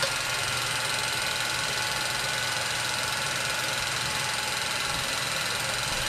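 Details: 1934 Bell & Howell Filmo Model 57 projector, an auction find, projecting old film: a steady, fast mechanical chatter at about 3.5 per second with an even whir throughout. Running normally.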